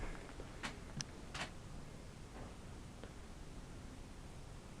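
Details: LG 50PC1DA 50-inch plasma TV, power button pressed: relay clicks on, drops out, one more click, never powers up; most common failure said to be the IPM boards, unconfirmed. Power relay clicking, no power-up.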